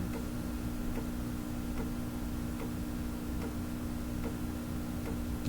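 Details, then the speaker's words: Fleetwood 660 record changer during reject cycle: light click repeating about every 0.8 s at the same point each platter turn, over steady hum; slow start possibly capacitor, mechanism to be inspected. "let's see if it will reject now the clicking you can hear"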